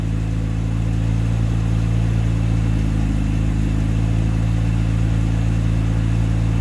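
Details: 1973 Jaguar Series 1 4.2 with original engine and new electronic ignition, first cold start after sitting 2–3 weeks in 34°C. Fast idle around 1200 rpm on choke with a steady, even hum and no misses or knocks. Smoother cold than it ever ran on points and condenser.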